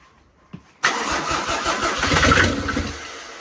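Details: Turbo OM603 diesel swapped into a 1984 Mercedes-Benz 380SL with a 716 six-speed gearbox, after glow plugs: brief crank, then the engine catches at once and settles into an even, clattery run with no stumbling.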